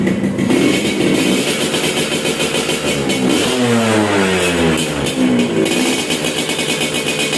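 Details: Restored Suzuki Satria two-stroke motorcycle, sound check after the restoration was finished: crisp two-stroke buzz climbing and falling cleanly with each throttle blip, no knocking or rattle. Normal, healthy revving.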